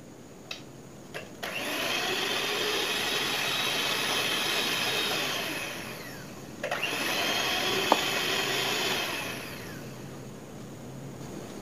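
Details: Repaired knockoff Philips hand mixer, final test with the beater sticks fitted to check the internal gears do not clash: two smooth, even runs of a high motor whine rising and falling steadily, with no gear clatter or knocking; it now runs normally.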